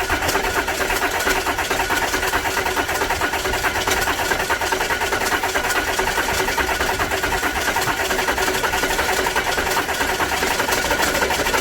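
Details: 2010 Audi A4 2.0 TDI diesel after high-pressure fuel pump replacement and priming: steady starter churning about two beats a second, never catches; cranks without firing. Owner suspects fuel starvation, clogged fuel filter, or damaged new pump; unconfirmed.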